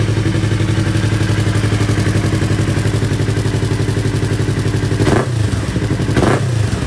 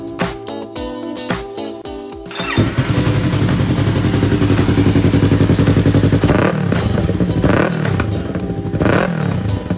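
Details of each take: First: Yamaha R3, after a fix for its backfire problem with the hose reinstalled: even, steady twin idle, then two quick throttle blips that rise and settle cleanly with no popping; normal running, no backfire. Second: Yamaha R3 with aftermarket exhaust pipe: engine runs with steady thump, sharp pops between throttle blips over music; backfire, common on R3 with aftermarket pipe, before fix.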